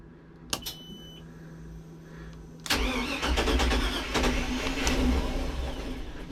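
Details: Mercruiser 350 Mag engine on a Sea Ray 320 boat, just after a fuel filter change (Cool Fuel 3 module) and repriming by cycling the ignition so the fuel pump runs 3–4 times: near quiet, then it catches sharply under three seconds and settles into a steady, even run. Normal start.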